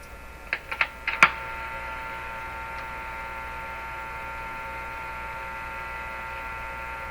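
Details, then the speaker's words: Canadian Crosley 12B radio with its 6SQ7 detector tube replaced, tested with a signal generator near the antenna. Clicks, then a steady buzzy hum with several pitched tones under the output; hum fault of unknown source. "There's a different kind of hum in it too."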